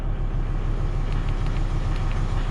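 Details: Idle of a 2003 Volvo XC90 just started on a newly fitted battery, cranking test good: steady low rumble, even unbroken idle, no knocks or misses; engine idles smoothly.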